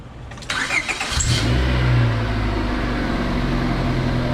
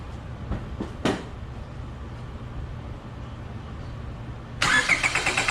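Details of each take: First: Car starting after a compression test, with the fuse and fuse box cover reinstalled; car had no fault: brief cranking, catches cleanly, settles into a steady, even idle with no knocks or misses; normal start and idle. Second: Car cranked to empty the fuel rail before a compression test: after a quiet stretch the starter turns the engine in an even chugging rhythm but it never fires; crank, no start, no fuel.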